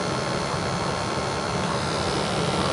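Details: New Ruud 80+ gas furnace replacing a 34-year-old unit, at startup combustion test: steady, even burner roar with no surging, puffing or rumble. Gas pressure, stack temperature (275–500 range), oxygen about 6%, CO 35 ppm and CO2 8.68 all good. Normal burner operation.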